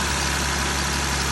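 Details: 2020 Jeep Gladiator idling after repair for a suspected rocker arm tick, cover still off; steady, even low drone with no ticking. Belt noise normally fades after idling; owner suspects slight water pump drip. Normal idle.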